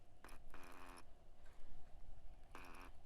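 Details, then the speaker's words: Ozark Trail OTX Pro baitcasting reel, 7.0:1 ratio, new: a faint buzzing hum with each turn of the handle, like a phone vibrating on a desk. Unexplained internal vibration. "it supposed to sound like your phone's won't vibrate on the desk with it well all right well okay well we're just we're just going to pretend like we didn't hear that"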